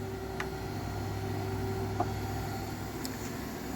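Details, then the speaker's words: Willis 818-3A surface grinder, hydraulic system on with table engaged, speed set by valve: steady low pump hum with quiet even whir, no knocks or grinding; normal hydraulic table operation. "as you can hear the hydraulic system is on and you engage the table right there and you adjust the speed just by adjusting that valve"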